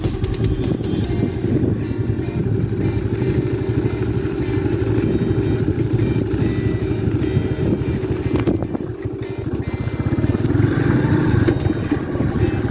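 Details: Honda Pop 110 single-cylinder bike riding steadily to work after a Honda mechanic's repair for engine noise from the camshaft bearing; smooth, even drone with no knock or rattle from the top end.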